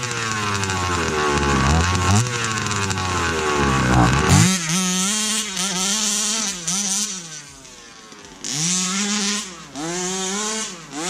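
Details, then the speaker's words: Fifth-scale Baja 5 two-stroke RC car engine: a high, thin howl that surges and sags without settling; running lean, too much air, so the low-end needle needs opening about a tenth of a turn. "i got stars so what is happening here actually it's getting too much air so all we need to do is add more fuel"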